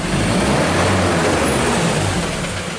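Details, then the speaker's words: 2015 Mazda BT50 2.2 L diesel pickup, 256,000 km, revved after warm-up: rough rattly fuel knock over diesel roar with heavy black smoke, attributed to filthy injectors; complaint of loud knock, hard start, power loss, P0341 and P0671-P0674 codes. "seeing a lot of black smoke man so that's letting me know that these injectors are filthy okay and you definitely hear like a fuel knock or something like that"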